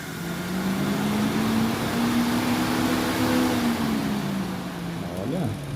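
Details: JAC J6 radiator cooling fan motor, run by jumping the sensor, hums with a wavering tone then slides in pitch as the broken blade slips loose on its worn shaft hub after a makeshift iron fix.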